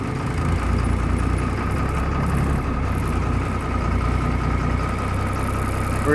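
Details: Bus started after two and a half to three weeks unused, left running to warm up: steady even idle with smooth low beat and no misfires; normal idle.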